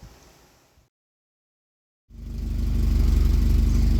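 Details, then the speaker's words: Austin Allegro after slightly richening the carburettor jet, before warm-up: fires after a pause and settles into an even, steady tickover of about four beats a second; sounds healthy. "Now that sounds good. Nice even tick over."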